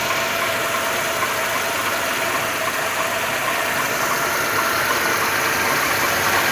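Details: 2.2 engine (111 motor) at idle with fast rough tapping over a hissy background; knock present, source not identified.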